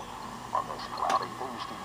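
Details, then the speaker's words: General Electric C-403A tube radio with plate voltage lowered to about 68–70 V, tuned to a weak station: faint, choppy audio warbling and breaking up under hiss; starved tubes garble reception, and it improves from about 75 V upward. "starting to get a little gbly see let's bring it back up see if we can tune it in a little better"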